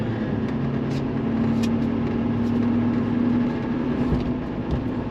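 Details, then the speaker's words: 2018 Chevrolet Silverado High Country L5P Duramax, 105,535 miles, after repair of a cylinder 4 misfire (codes P0204, P0300); smooth engine note pulling away on a test drive, no stumble; running cleanly on all eight cylinders. "I mean, it's running very well right now, running on all eight cylinders and running as good as an L5P does."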